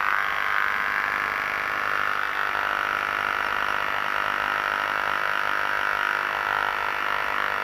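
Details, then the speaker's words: Electrical discharge recorded with ultrasound: continuous frying buzz with crackly edge and fairly regular pulsing, spectrum showing a 25 Hz harmonic at the very bottom; similar to another substation discharge file with slightly different frequency spectrum. "that sounds similar doesn't it slightly different frequency spectrum but looking at the 25 hertz way down here"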